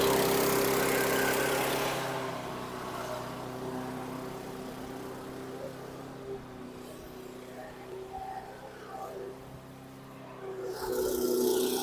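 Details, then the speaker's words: 2010 Troy-Bilt CSV 070 chipper shredder vacuum, 173cc MTD single-cylinder engine, just started after choking; loud, very high RPM idle that sags and climbs back; surging, fluctuating idle, owner suspects it needs a carb clean. "this thing is loud loud and very high RPM so kind of a fluctuating idle I'm sure it needs a carb clean but kind of surpris it started"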